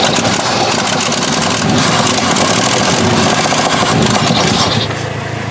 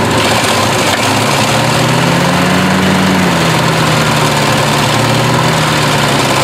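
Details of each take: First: 1968 Chevy truck unrun 15 years, points cleaned, running on gasoline poured into carburetor, tank possibly empty: rough loud running with raspy ticking puffs and uneven pulses; massive exhaust leak. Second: 1968 Chevy truck unrun 15 years, points cleaned, gas fed by hand: steady running engine with even low rumble and slight pitch rise then settle, no misses, massive exhaust leak; fuel system still priming.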